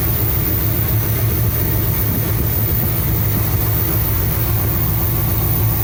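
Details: 1975 Cadillac Fleetwood V8 idling about 5 minutes during valve cover gasket replacement, being checked for oil reaching the top end (it does). Deep, even, steady low burble with no knocks or ticks; normal idle.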